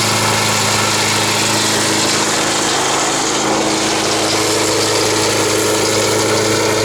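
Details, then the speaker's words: Wolf GTAB4M mower running after a handle pivot repair; the owner notes the noise is not from the engine. Steady run with a constant dry scraping hiss. "je pense que ça fait du bruit c'est pas au niveau du moteur"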